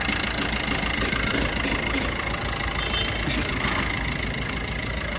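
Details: Maruti Ciaz after repairing an oil leak by replacing the clutch release bearing; quiet steady diesel idle with light even clatter and some hiss, no misses or knocks; normal idle.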